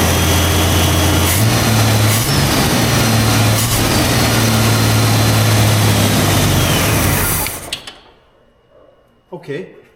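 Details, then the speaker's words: 1938 International pickup, budget-build project, after earlier no-starts (owner guesses he flooded it): even, steady, quiet running hum with no misses or knocks for several seconds, then shut off; runs normally. "well it runs it's quiet I don't know what's going on"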